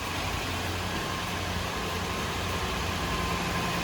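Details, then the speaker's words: Toyota 4Runner 4.7L 2UZ V8 first restart on bare frame after rewiring and fixing a shorted main ground, no cooling connected: smooth, even low idle with steady rumble, no ticks or knocks; healthy. "can't leave it running long because i've got no cooling in it but she sounds good there's no ticks it's awesome"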